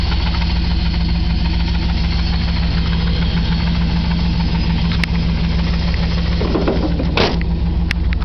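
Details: 1997 Chevy K1500 4x4 Z71, Vortec 350 5.7 V8, 250,000 miles: deep steady idle with a dull knock a couple times a second; owner suspects connecting rod knock; number 3 cylinder has low compression, suspected leaking lower intake manifold gaskets.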